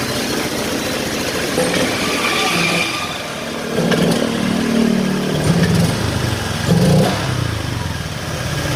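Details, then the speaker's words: Honda Vario Techno 125, first fuel-injected Vario, owner's complaint confirmed: on initial throttle the engine is "ngempos dan ngorok", rough uneven beat that stumbles and bogs as throttle opens; hesitation on initial throttle. "Nah jadi betul ya teman-teman kata si pemiliknya jadi seperti itulah penyakit motornya Udi gas itu ngempos dan ngorok"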